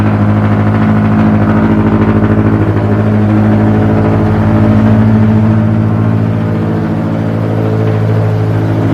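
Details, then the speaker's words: Scion FR-S (FRS/BRZ/86 boxer) semi-cold start with newly installed CNT Racing catless unequal-length headers: deep, loud, steady idle with an even low drone, no misses or knocks; healthy but very raspy. "It's so loud. It's so loud. Alright, it's quieting down a little bit."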